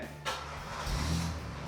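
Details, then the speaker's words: Buick LeSabre that sat a long time and wouldn't start (fuel pump issue); after repair a short crank catches at once and rises to an even, steady run with no misses; normal start. "whoa smoove two go ahead shut it off outstanding"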